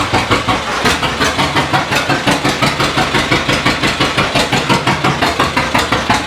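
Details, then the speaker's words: 1936 John Deere A two-cylinder, mostly new engine, first run in decades after timing fixes, hand-cranked and now warm: steady even chuffing about three beats a second, no knocks or misses; residual oil and copper coating burning off. "Pull it. It runs. Sounds good. That's just oil and stuff in there, that residual oil getting hot, but And that copper coating burning Yeah. off too."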